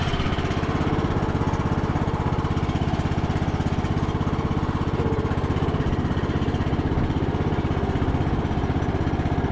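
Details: Revived MTD Bolens riding mower, not run for a few days, started on choke with little fuel: deep, steady thrumming with an even firing beat and no hesitation or knock; engine running healthy.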